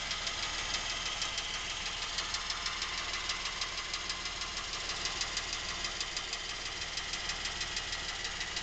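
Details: New Lincoln MKX with 7,000 miles, knocking since new and seeming to worsen, heard at the back of the engine away from the cam phasers and chains; a steady sharp tick-knock about three per second over a smooth idle, cause not identified; dealer called it normal.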